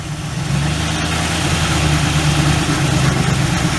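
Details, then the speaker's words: 1967 Ford Galaxie 500, 289 V8 with two-barrel carb, first start after 25 years: deep, even idle, steady beat, no knocks or misses; engine sounds healthy. "Sounds good. Motor sounds real healthy."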